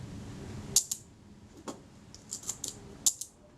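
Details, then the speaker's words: Retina IIC leaf shutter after ultrasonic cleaning and graphite-powder lubrication of speed trains, fired at 1/8 s on test: light paired thin ticks with little snap, shutter sounding unnaturally quiet. "that shutter sounds unnaturally quiet to me which is interesting"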